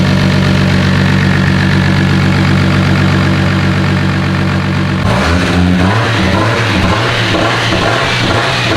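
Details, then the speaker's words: JZ-swapped BMW on first start-up, turbocharged, in about 0° weather on old ethanol fuel: a deep, loud, steady throaty idle with prominent turbo whistle, then a brief change in note; healthy, even-running engine. "the turbo whistle is insane it's kind of wild how much turbo you can hear in the exhaust that's so nuts look you hear it it sounds like a jet right now just idling"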